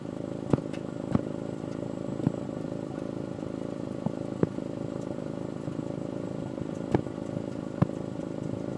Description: Misfire during idle